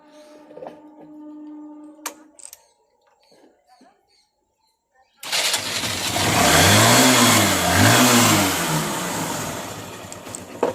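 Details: Honda bike, possibly a Shine, after repairing the self-start motor, carbon brushes included, and refitting its wires and bolts: after a few quiet clicks the engine fires at once on the starter and revs up and down smoothly; normal electric start.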